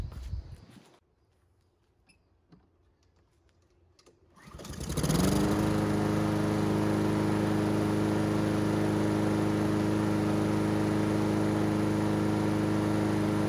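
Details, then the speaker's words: Honda GCV160 engine on Husqvarna AWD mower, reassembled with air filter and cover off to watch wax-pellet automatic choke: quiet, then catches at once, picks up briefly, settles into smooth even run; choke working properly. "So that automatic choke on this thing with that wax pellet is absolutely working properly."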